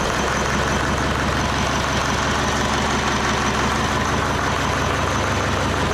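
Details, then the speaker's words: Leyland 154 tractor diesel restarted with heat while not yet warmed up, its injection pump leaking diesel. A low, uneven clatter wanders and won't hold idle, though oil pressure is good. The cause is unclear; the leak is a possible factor. "Okay. It won't idle. Um, off the top of my head, I'm not sure what the idle should be on these."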